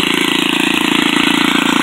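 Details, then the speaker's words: Old salvaged Craftsman edger, small single-cylinder engine, on a 95° day with the clogged air cleaner removed: fast, even putter at steady speed, no load; runs smoothly, clogged air cleaner was the problem. "I've got it running, so I will have to get another cleaner or sell it as is, but I took that air cleaner off and it pretty much started right up."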